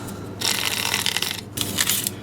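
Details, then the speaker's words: Self-titled 1972 America 8-track cartridge, opened from underneath: dry, gritty scraping and rattling as the tape winds instead of a smooth hiss, tape pack seems to bind; lubricant appears bound up (suspected), likely won't play. "The lubricant seems pretty bound up in here. You hear all that noise, it's not smooth."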